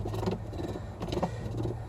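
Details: Samsung WA40J3000AW/A2 washer with belt and guard removed: rough grinding bursts as the pulley turns, clutch spline teeth rubbing because the shifter doesn't disengage; noise only during agitate, spin quiet.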